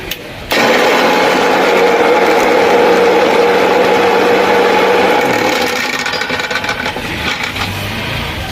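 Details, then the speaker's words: Mixer grinder roars with a loud, harsh grinding rattle when run with the jar fitted; it runs smoothly when run empty without the jar, so the fault lies in the jar. "यह देख सकते हैं कितना गंदा आवाज दे रहा है आपके सामने मैंने चलाया आप जरूर ही सुने होंगे कितना खराब आवाज है"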